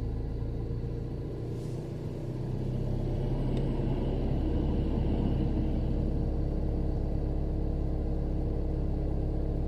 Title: VW high idle winter days consumption 1100 revs